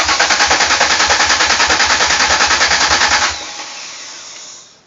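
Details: 1999 Mercury Cougar after swap from 2.5 V6 to 2004 Taurus 3.0 V6 with new injectors wired in: starter spins engine steadily, about three beats a second, but it never fires; crank, no start.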